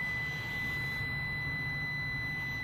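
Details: 14-year-old 2005 HVAC package unit whose contactor stuck closed and tripped the breaker: steady, unbroken meter beep from compressor terminal (believed run) to ground; grounded compressor winding, windings open to each other.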